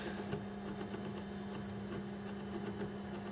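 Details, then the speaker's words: Faint steady low hum with a slight mechanical whine and light ticking from a VCR's tape transport playing a Dolby B tape apparently from 1988. This VCR was apparently last used in the late 1980s. Normal mechanism whine, and the tape came out fine. "a little bit of a whining mechanism but that's probably normal"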